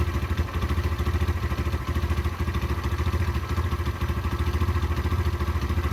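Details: Derbi 125 motorcycle (model unknown), a former non-runner, being ridden after a carburettor clean and fuel tank clean: steady, even low single-cylinder thump with no misses or mechanical clatter; it runs cleanly and normally.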